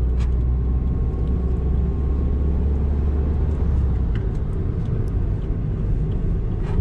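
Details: Honda City car driving: deep, muffled drone under road noise, like a scooter silencer, rising with speed and fading when slowing, coming from the front right; worn wheel bearing.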